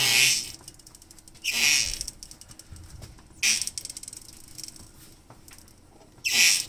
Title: Morgan 3 wheeler M3W squeaky noise